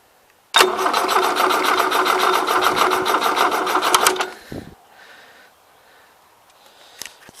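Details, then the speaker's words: 1977 Gravely GMT 900 after sanding the distributor points: starter spins the engine with an even, quick chug for about 3.5 seconds with no firing; battery likely run down, spark uncertain. Cranks but no start. "I think pretty much I've run the battery down at this point and I have no idea for that spark or not"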